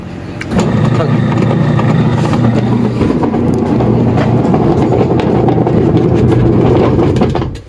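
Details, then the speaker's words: Standard brand 6 kg washing machine running empty with no water or clothes, on timer: loud rough grinding rumble with heavy low drone; motor fine with belt off, water leaking, diagnosed worn gearbox needing replacement. "An sabi nung mayari ay daw ay maingay sa subukang i timer tapos isaksak natin yun gapak ang tunog an iingay sobrang ingay ng tunog"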